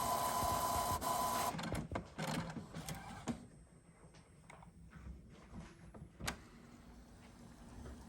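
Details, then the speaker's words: Epson ET-8550 printer with full paper tray failing to pick up paper: rough grinding and rapid clatter from the feed mechanism, then irregular clicks as it keeps retrying. "so as you can tell it's trying to pick up paper"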